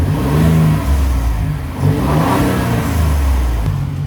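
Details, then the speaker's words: 2019 Ford Raptor before modifications (stock, before blow-off valve and cold air intake), revved in place, recorded from inside: deep smooth engine rising and falling through clean revs with faint turbo whistle, no knocks; normal revving. "You can still kind of hear a hit hear the turbo a little bit. So I do one more time. This is what it sounds like."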